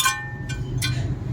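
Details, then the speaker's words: Maruti Suzuki Wagon R (new model), front driver-side wheel: sharp metallic clinks in uneven bursts over a low rumble, heard at 10–20 km/h in first/second gear but not at 50–60; wheel already swapped; stone trapped between brake rotor and dust shield after off-road use. "फिर भी आवाज़ सुन सकते हो आप। आवाज़ इसके अंदर से आवाज़ आ रही है।"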